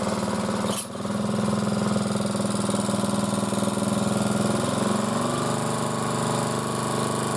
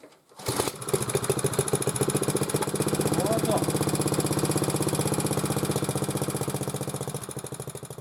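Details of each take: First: Motor-cultivator that knocked and stalled in autumn after hard use and started poorly, running after valves checked (intake upper 0.20, exhaust lower 0.15 clearance); gearbox turning; one sharp click, then even single-cylinder putter about 3.5 firings a second, no knocking; normal running. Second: Hard-starting motor cultivator that stopped with a knocking last autumn and sat in rain and frost: after the plug was removed and fuel poured into the cylinder, the small single-cylinder engine starts and putters steadily; poor fuel delivery suspected.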